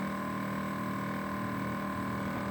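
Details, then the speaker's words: LG inverter air conditioner outdoor condenser running noisily: a droning hum near 200 Hz with a higher whine around 1 kHz that varies over time. Abnormal condenser noise, cause unknown. "Ó, esse é o barulho que dá, ó. Você imagina isso à noite, cara, nossa. Aí ele vai variando."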